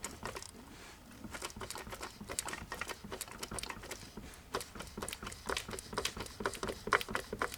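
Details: 1982 Mercedes-Benz 240D OM616 diesel, 259,000 miles, engine turned by hand: slow uneven light taps and clicks; piston slap, No. 3 piston skirt below gudgeon pin broken, pieces found in sump.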